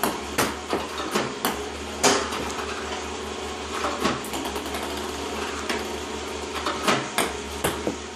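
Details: iPong Pro ball launcher, 4 weeks old, about 2 hours run time, clean Joola 40mm balls, power cord fully plugged in: sharp launch clunks at uneven gaps with missed beats; misfiring increasingly often.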